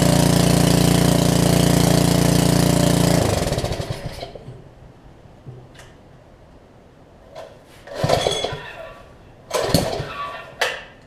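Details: Karcher pressure washer with a 6.5hp Briggs engine, after installing a new carburetor, run briefly without water to the pump: small single-cylinder idles smooth and even with a steady low thrum, then shuts down cleanly; normal idle.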